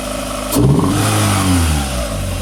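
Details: Snatch Panda small petrol engine misfiring: idles unevenly, then a quick throttle blip rises and falls back to idle.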